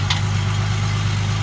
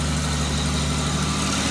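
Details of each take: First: 2005 Ford Mustang 4.0 that wouldn't start, idling after the cats were dealt with and the sensor fitting tightened: deep, steady low rumble at an even idle with no puffing or ticking from the exhaust, sealed and healthy. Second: 2005 Ford Mustang 4.0 V6, just after gutting the catalytic converters and refitting O2 sensors, rear clamps not yet tightened: steady idle with faint breathy puffing; small exhaust leak at loose clamps.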